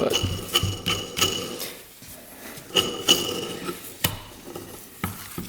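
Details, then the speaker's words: 1940s Villiers-engined motorcycle, engine turned slowly by hand with crankcase open: irregular dry clicks and gritty scrapes each turn, barely improved by lubrication; crankshaft main bearing worn out, rod bearing shows slight play. "Ooh, yeah. I'd say the bearing's toast, that's what we were hearing. That's pretty bad."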